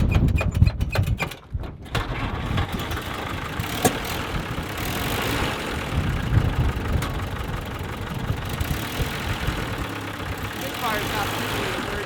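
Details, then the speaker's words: 1948 Willys Jeep after spark plug cable repair: engine cranks, catches and idles unevenly with lumpy beats; much play found in the distributor rotor. "I don't think so. No, it doesn't sound great. Yeah. There's quite a bit of play in that rotor."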